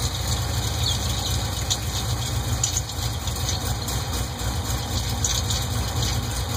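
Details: LS2 V8 at idle: faint, quick, light ticking over the low rumble, a valvetrain-type tick; possible lifter knock, unconfirmed.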